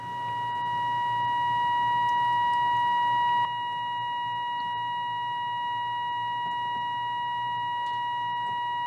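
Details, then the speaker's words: Restored 1938 Healing 448E radio, antenna coil core tuned with the signal generator at 600. A steady, pure whistle near 1 kHz swells to a peak and then holds. Alignment is peaked and needed little adjustment. "که ما می رویم خوب که تقریباً همان جایی بود که باید می بود. من آنقدر زیاد تنظیم نکردم"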